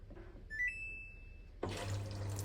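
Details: Samsung 13 kg washing machine that had no water flow in auto mode, checked at the inlet relay valve and reassembled; after repair a short beep, then a steady even rush of water filling the drum, normal.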